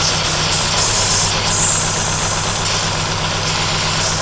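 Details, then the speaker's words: 2010 Chevrolet Aveo 1.6 Ecotec with a PCV vacuum leak in the valve cover, which integrates the PCV system, causing misfires; loud steady hiss over a slightly uneven idle, before valve cover replacement. "see how bad it's leaking internally look at that that's because they integrated the pcb system and with the valve cover wasn't that intelligent"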